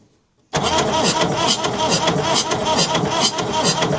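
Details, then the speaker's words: Massey Ferguson 11 tractor cranking, won't fire: steady cranking with irregular chuffing puff blowing back through intake about twice a second; suspected leaking or bent intake valve, possibly blown head gasket between cylinders, unconfirmed. "Well, the old Massey Ferguson 11 will not fire up, and it sounds like it's got a leaking valve on the intake side. You can hear it blowing back through the intake every so often."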